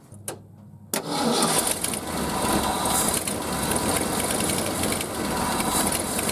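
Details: Early-1970s Ford F-350 that sat about 7 years, first start on old gas: the engine catches and settles into a rough idle with a raspy, puffing hiss underneath. Exhaust leak, probably needs a tune-up.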